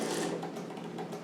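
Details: Bicycle rear wheel spun with a broken spoke: light swish about twice a second as the rim catches the brake block once per turn; wheel wobble from the broken spoke.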